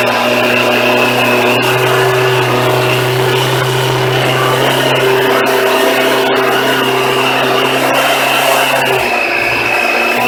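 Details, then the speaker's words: Suzuki Katana motorcycle, first start in March after sitting all winter unused in a Toronto-area shed, on a Ballistic battery in its third winter without charging: after a fickle start it settles to a steady even cold idle, no misses or knocks: normal. "the bike started up so I'm just going to sit the camera down for now and I'll let the bike idle and warm up"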